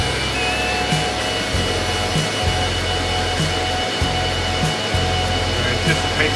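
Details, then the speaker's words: Antminer with replacement 6,000 RPM fans, in low-speed mode after repair: the fans kick in to full speed with a loud, steady rush and a slightly pulsing low hum, no rattle or grind, expected to slow once cooled. Normal cooling. "My guess is it'll cool off and then shut it, slow them back down again. Let's see. Got those fans really running now."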